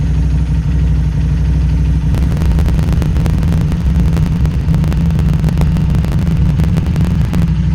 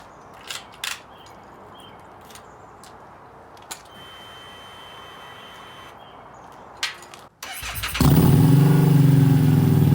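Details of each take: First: Harley-Davidson Street 500 chassis (17k miles) fitted with a new Street 750 engine (60 miles), cold start to warm-up idle at about 96 degrees with throttle plates slightly open: deep lumpy twin idle bouncing between 13 and 16, about to stall, from poor fuel tune. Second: Harley-Davidson Street 500 converted to Street 750 with new 750 engine (60 miles) in 17k-mile chassis, new dealer-flashed FP3 tune: engine catches and settles into a steady even deep idle with no knocks or misses; healthy.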